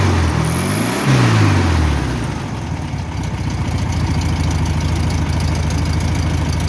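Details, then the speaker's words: 1962 VW Bus air-cooled four, likely a 1500 single-port, after losing power and smoking on a trip, with a spark plug wire refitted: it cranks, catches and settles into a steady, even chuff with no misses; normal idle. "So I'm gonna start it up and see what it sounds like. Running pretty good."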